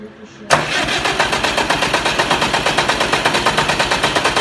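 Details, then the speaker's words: Oliver 550 tractor diesel, newly installed injector: even cranking pulses about three a second keep turning over with no catch or pickup; it cranks but won't start. "That's not a good sign right there. That's not a good sign. She is not wanting to fire up."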